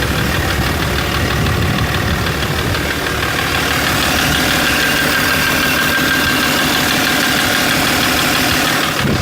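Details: BMW M57 3.0 diesel at idle after injector removal/refit (three seized, one replaced, one adjusted, wells reamed): steady sharp knock about three per second over clatter appeared immediately; drives normally, slight black puff at full throttle; cause unknown.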